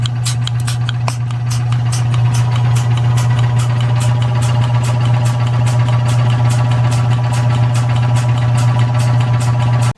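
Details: Rebuilt mid-1940s Surge milking-machine vacuum pump with new electric motor, belts, hoses and oil, regulator turned down to 13; steady hum with even quick chuffing about three strokes a second, no knocks, running well.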